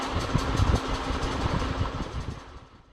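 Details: Ceiling fan with a worn bearing: a rough rhythmic rumble with a faint steady hum that fades as the fan slows down.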